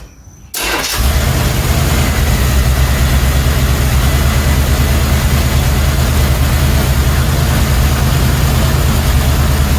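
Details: 1977 Chevrolet C10 with 350 four-barrel (165 hp) and Thermoquad carb: the engine catches and settles into a deep, uneven, lumpy idle, as if one cylinder isn't pulling. A new HEI ignition module or a bad cam lobe is suspected.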